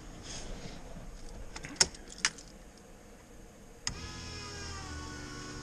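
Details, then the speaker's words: LS 5.3-swapped Fox Mustang, fuel pump switched on after refuelling a tank that had run dry: a few clicks, then a steady electric whine with fuel audibly flowing; 60 psi with one pump, priming normally. "You can hear the pump and how much... You can actually hear the fuel flowing through it now."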